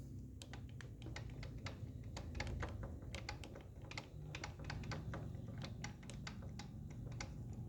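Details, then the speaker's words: Honda XR150 motorcycle engine, 18,000 km, crank rocked by hand giving sharp, uneven light knocks about four a second: piston skirt slap, rings and piston worn after running without oil; valve clearance slightly excessive. "Ese es el faldeo del pistón. Al quedar sin aceite se habrán comido los aros y también gastó el pistón."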